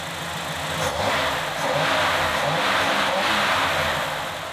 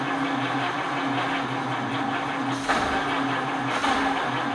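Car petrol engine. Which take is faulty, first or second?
second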